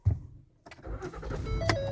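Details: Three-year-old Ford that came to a grinding, slamming stop while driving, as if the ABS engaged: silence, then a short crank and it catches into a rough, rising idle. Intermittent no-start, cause unknown.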